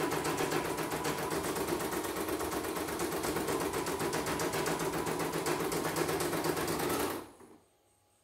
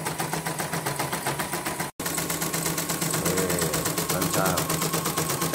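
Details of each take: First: CNY embroidery machine with a non-working sensor complaint and very heavy rotation. Fast, even clatter at about four beats a second that then stops; it runs stiff and laboured because the main shaft (as) is seized. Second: CNY embroidery machine after a full teardown and cleaning to free the seized shaft (as), running before the cover is refitted. Fast, even ticking of the needle mechanism at a steady rate with no binding or knocks. Normal running.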